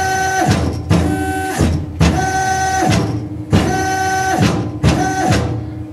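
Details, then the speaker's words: Tormach PCNC 1100 Series 2 mill with X and Y stepper drivers swapped: X now sounds fine while the Y axis, on the bad driver, gives rough grinding growl with harsh surges about every 1.5 seconds; faulty stepper motor driver. "so much that was the result of the faulty stepper so what I'm going to do far sorry faulty stepper motor driver"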